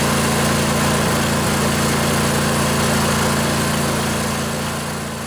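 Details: Briggs and Stratton Intek twin-cylinder 20-25 hp riding-mower engine, junkyard engine left outdoors, first start after sitting on a weak battery: steady, even idle with a smooth low pulse, no misses, knocks or surging, a little smoky; normal idle.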